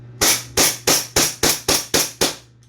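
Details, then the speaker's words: Double Bell Pit Viper gas blowback pistol after O-ring replacement for a gas leak, test firing with BBs: eight sharp, evenly spaced cracks about three per second, no hissing after; no leak heard, noise heard is normal. "Yun lang, sa mga naka-high ka pa nga pala yun, kung maririnig nyo yung tunog na yan, okay magalala, normal lang yan."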